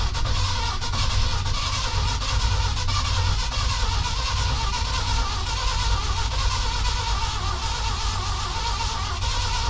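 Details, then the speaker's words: 1976 crew cab pickup on its first start attempt with a new battery and fresh oil: a steady, churning crank that never catches or fires. It turns over but won't start, cause unknown; the previous owner reportedly got it to turn over. "I think we got enough cranking amps. Sounds like she's definitely turning over, which is a"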